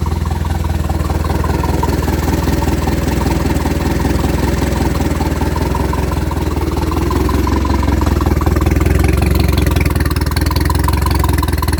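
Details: Fully built turbo Pontiac Sunfire with water-methanol injection, after startup: steady even idle with low throbbing exhaust note, no knocks or rattles; normal idle.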